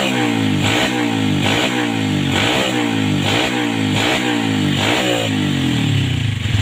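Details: 2007 Yamaha Vega R motorcycle after its carburetor was cleaned with a wire and blown out to cure sputtering and coughing: repeated clean throttle blips, revs rising and dropping crisply with no stumble or misfire, pulling freely and healthy.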